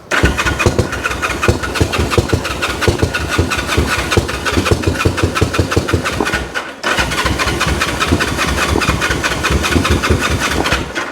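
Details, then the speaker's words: 1974 Honda CL450 motorcycle, unridden since 1999 (25 years), fuel added and battery on charger: steady starter cranking with scattered firing pops that never catch, so it won't keep running; air boxes and carbs checked next. "so let's hit the button hey oh that's getting there oh that's wanting to come on turn that off"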